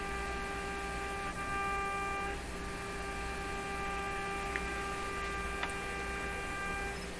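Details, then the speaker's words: RCA Victor A38 shortwave tube radio tuned to a fairly strong signal: steady tone comes out shrill, buzzy and rough over faint hum instead of a pure sine; audio distorted, cause unknown. "okay so when you're listening to the sound to me it's very obvious it's distorted this should be a nice tone sine wave kind of a pure sort of sound"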